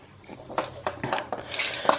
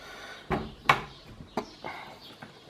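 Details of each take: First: Cat flap swinging: uneven plastic clacks and rattles about three or four per second from loose, wobbly plastic hinges; later quieted with plastic grease. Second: Cat door after its hinges were lubricated with plastic grease: only a few dull clacks as the flap hits its stops, no creak or squeak; hinges now quiet.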